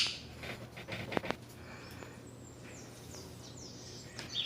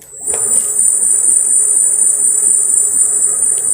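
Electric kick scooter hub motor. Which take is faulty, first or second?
first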